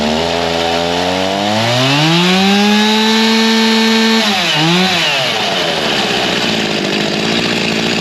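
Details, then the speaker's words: G366 chainsaw after big carb swap, tuned to about 13,132 rpm: climbs to high scream, holds, then stumbles as revs fall, no power at low speed despite spinning rpm; a part missed in the swap. "even from that half pull we had as soon as it got to the low speed it was not liking anything you could hear it fall on his face made no power even though it was spinning RPM"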